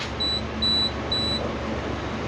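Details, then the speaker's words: Suzuki Samurai door alarm buzzer: three shrill, short, evenly spaced beeps about two a second over a quiet hum, triggered when the tape-wrapped door switch wire grounded after being pushed through its hole. "um so I just put some electrical tape on there so hopefully well I thought it would ground wouldn't ground out and quit working and now I touched it now it's going off so we'll have to figure that out"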